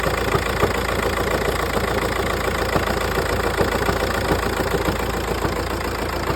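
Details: Audi A3 8P S-line 2.0 TDI diesel idling with a loose, uneven rattle about three or four times a second; suspected noisy flywheel, not confirmed.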